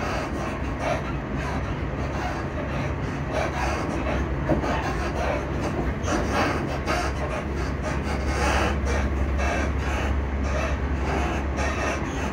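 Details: Class 334 electric train running near Edinburgh Park and Haymarket: constant onboard rumble with irregular knocks and rattles at speed, noisy suspension, cause not clear.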